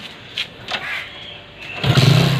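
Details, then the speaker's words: Hero Splendor after simple fix for kick slipping: a couple of light kicks, engine catches and settles into a steady putter; kickstart engages cleanly, runs normally. "இப்போ நம்மளுக்கு kicker slip ஆகலை. இப்போ okay இப்போ key நம்ம on பண்ணால் வண்டி பக்காவாக start ஆகிடும்."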